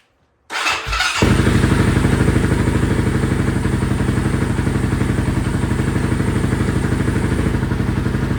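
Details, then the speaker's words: Honda TRX 700 with stage three cam after Vortex ECU fuel map adjustments: steady even single-cylinder beat, runs smoother; owner unsure whether it runs lean, wants AFR gauge. "this sounds a lot better I must say but I'd like to hook up an AFR gauge or something on it to be able to see that air fuel ratio to know if I'm running lean or not"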